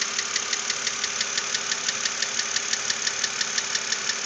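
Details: 2006 BMW Z4 3.0si at idle: a sharp, even mechanical ticking knock about three per second over a steady idle. It remained after a lifter replacement, and the source is not yet identified.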